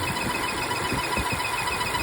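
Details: Volvo petrol engine at idle with a rapid, steady chirping whine that can be mistaken for a pulley or alternator; caused by a faulty PCV valve, check for vacuum there, and if present, removing the cap stops the sound.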